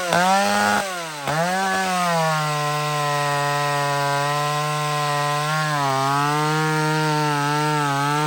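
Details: Chainsaw ("the Max") cutting wood after its too-lean mixture was richened back up: a high buzzing note holds a steady pitch and dips slightly as it bites, pulling cleanly with no lean screaming, a normal run under load.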